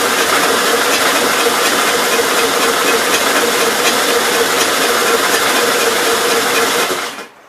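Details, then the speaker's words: 1957 SR Gravely single-cylinder after top-end rebuild with 15-over rings: fast, rattly seven-second cranking that never catches, no compression beat. Owner smells no gas, suspects carbon under the exhaust valve, then concludes valves need adjusting. "i don't really smell any gas so maybe it's not getting gas on sounds like there's carbon under the exhaust valve"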